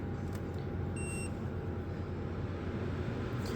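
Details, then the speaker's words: 2024 Midea 12,000 BTU inverter window air conditioner (MAW12V1YWT-S), indoor fan on highest speed in cool mode: soft, steady rush of air with one short control beep, no rattle, whine or rubbing; quiet enough to talk over, normal fan operation. "and as you can hear even on its highest indoor fan speed it is I can talk normally over it"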